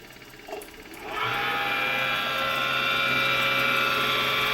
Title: DTF MAX Repair of the fan abnormal noise issue 风扇异响